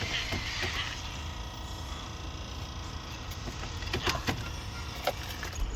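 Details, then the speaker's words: 2006 Honda Odyssey that won't start in Park, started in neutral with a foot on the brake; the owner blames the transmission park sensor, not the battery or alternator. It catches and settles into a steady low rumble with key clicks. "it'll start right up and that's how you get around it won't start there's nothing wrong with the batteries or the alternator or nothing is just the parking sensor on the car on the transmission"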